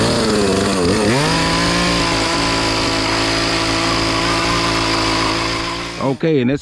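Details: Poulan Pro PP4218A 42cc two-stroke chainsaw after chain replacement, warming up after choke start: buzzes at a high steady idle, even and smooth throughout, then a few quick blips; runs healthy.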